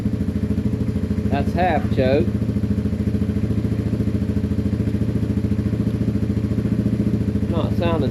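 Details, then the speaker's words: Yamaha TW200 single cylinder after long sitting post-theft: even putter about three and a half beats per second, steady and unbroken on half choke; unknown whether it runs without choke, bad gas or dirty carb suspected. "Well, it's running on choke, but I don't know if it's going to run on without choke."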